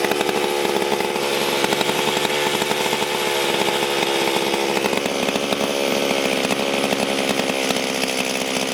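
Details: Stihl MS440 chainsaw before port work, good compression, owner suspected a possible air leak; high, buzzing two-stroke scream holding steady and even with no bogging or surging: normal running.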